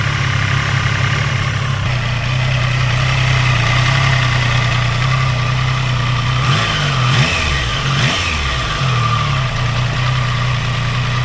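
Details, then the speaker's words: Triumph Tiger Sport 800, about 800 miles, after cam chain tensioner replacement, on the drive: even idle with light normal rattle and two quick throttle blips dropping back cleanly; rattle now judged similar to a second bike. "I think they're the same now. You think so? I don't think it's perfect, but like I say, I think these engines are quite rattly,"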